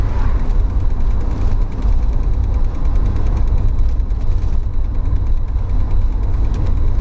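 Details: Idling vehicle, engine reportedly fine: fast light ticking over low steady idle rumble; owner suspects transmission, source not found.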